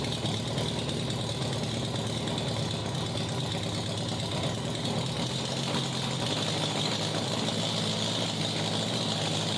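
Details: 1987 Honda Gold Wing GL1200 with electrical issues: intermittent cranking, exhaust backfire at key-off. Harsh, uneven open-pipe idle, firing pulses lumpy and irregular with a slight hunt; rough running, cause unconfirmed.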